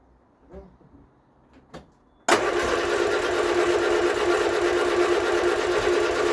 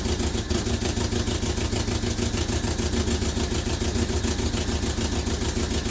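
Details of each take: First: Vauxhall Viva HC barn find: steady, even starter churning at about three turns a second with no firing at all. A fuel issue was addressed earlier; the coil is to be changed next. Cranks but will not start, cause unconfirmed. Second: Vauxhall Viva HC barn find four-cylinder after new fuel filter: steady even idle pulsing about three beats a second, no stumbling; fuel starvation fixed, running properly.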